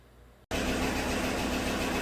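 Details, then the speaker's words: 2016 GM truck 5.3 V8 at idle with cylinder 6 misfires: loud busy idle with fast tick from the right bank, a collapsed number 6 exhaust lifter; all right-bank lifters replaced. "so you can hear the ticking sound coming from the right Bank it sounds like oh I think we're gonna investigate the push rods on the right side"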